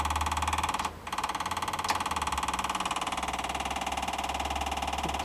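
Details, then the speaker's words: GM K2500 diesel on a cold start, fuel pump running off oil pressure: quiet idle, needs a bit of throttle, with a light regular clicking about three per second from the front; suspected firewall relay sticking, running the pump excessively. "clicking up front huh hear it relay stick sticking huh interesting huh is the relay sticking on the fire wall making the pump run excessively"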